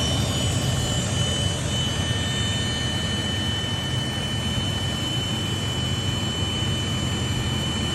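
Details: Toyota Land Cruiser 80 series: a steady high whine with several thin fixed pitches above a low engine rumble. The source of the whine is not yet identified.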